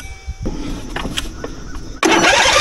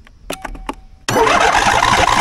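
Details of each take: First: 2.4 L diesel engine that sat for a while with its battery at 4.01 V, boosted to 15.2 V by an Andeman E-P155 jump starter: starter spins the engine steadily and fast for seconds, never catching. Long cranking, no start. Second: Lawnmower with a battery at about four volts, jump-started using a badly damaged Andeman E-P155 jump starter: a few starter clicks, then the engine catches instantly and settles into a steady, even running roar. Healthy start.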